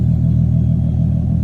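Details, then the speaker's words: Nissan 370Z with a Greddy RS-Race single-exit exhaust, after the shop fixed a rattle, under way on the 15-mile drive home: deep, even exhaust rumble with no rattle or buzz. The exhaust now sounds solid. "No rattling, guys, no rattling. Driving about 15 miles back home. Car sounds fine. Don't hear the rattling, and hopefully it stays like that permanently or for a while."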